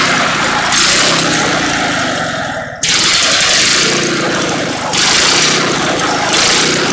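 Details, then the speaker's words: Antique buzz saw rig engine, first start after sitting unused for years; spark confirmed at points, blew out rust, mouse nest inside: loud uneven running with surging bursts and a brief dip as it coughs to life. "well she blew out a bunch of rust she was a little dirty inside from sitting i see uh some mouse nest here but i think it'll run"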